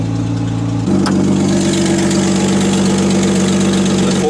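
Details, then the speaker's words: Loud, deep exhaust drone over a fast, steady cold idle right after a cold start; exhaust is loud when cold and quieter once warmed up. "she's got a loud exhaust when she's uh when she's cold after she warms up she doesn't sound as loud"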